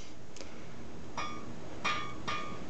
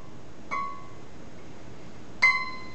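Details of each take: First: Scroll saw blade plucked with only a little tension at the tensioning knob; short, dull pings that die away fast with a bit of vibration. Blade is under-tensioned and needs more tension. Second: Scroll saw blade plucked after further tightening the tensioning knob; bright plucks giving a clear, high, ringing ping that fades quickly. Correctly tensioned blade.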